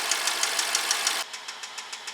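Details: 2012 BMW 650 with 4.4 twin-turbo N63 V8: sharp regular knocking about six times a second at idle, steady rhythm, a bottom-end rod bearing knock, being isolated by scope.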